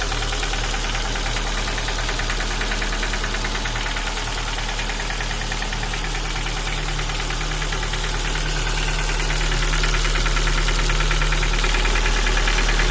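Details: Ford Focus 2 1.6 engine at idle with steady metallic knocking, about three per second and tied to engine speed, over a deep hum; broken piston pins.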